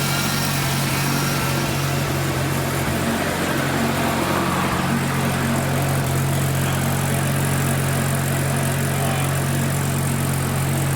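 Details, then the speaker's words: Mazda RX-7 rotary after single turbo conversion with Haltech tuning, new throttle: steady even rotary burble at idle, constant low drone, no misfires, hunting or surging; smooth normal idle. "Sounds so smooth."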